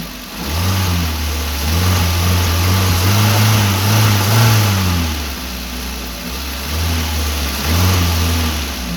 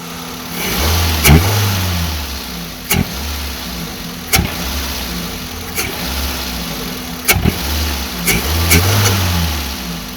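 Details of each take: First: Maruti Wagon R after air filter and filter case replacement: revs climb and fall cleanly through several blips back to a smooth idle, with no odd noise under acceleration, so the earlier acceleration sound is fixed. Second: Maruti WagonR with odd engine sound on acceleration, running with air filter removed: engine blips with a loud hissing rush of air rising with revs, intake suction noise.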